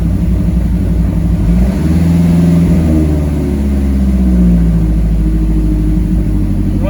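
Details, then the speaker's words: 2010 Mazdaspeed 3 idling just after an engine swap, fuel-primed; low drone with uneven wavering pulses and a loping beat, rough idle; owner suspects a misfire from the old spark plugs still fitted. "a little rough right now i think it might just be uh spark plugs i can feel like a little misfire going on"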